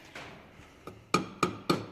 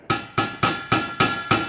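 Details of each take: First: Tapping a $30 straight-through 2.25 in muffler for a 1993 Honda del Sol: four dull taps dying quickly with no ring; packed with resonating material. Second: Tapping a cheap eBay exhaust muffler from a 1993 Honda del Sol: seven quick taps each leave a clear lingering metallic ring; muffler has no baffling.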